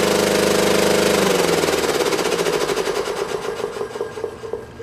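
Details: Belt-driven air compressor on a scrap-saved single-phase motor at 240 V, after the crossed capacitor wiring (start cap fitted in place of run cap) was fixed. Rapid pumping knock about three to four beats a second, easing and quieting as it runs; current drops as oil warms.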